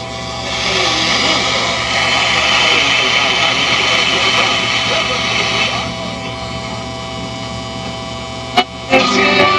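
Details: Circa-1959 Philco tube AM radio after repair (open oscillator coil replaced with one salvaged from a Curtis Mathes chassis, capacitors previously replaced): station audio steady and full with faint even hiss, no crackle or fading; receiving normally.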